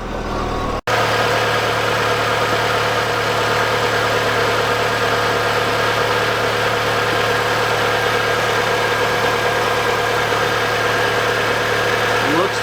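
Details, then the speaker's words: Green VW Golf ("Gracey") idling just after starting. It had not run for about a week and earlier had smoking and belt snapping/shredding. Smooth, steady idle with an even low hum and no belt squeal or slap: running healthy. "Gonna let her run for 10-15 minutes, just make sure everything is good to go."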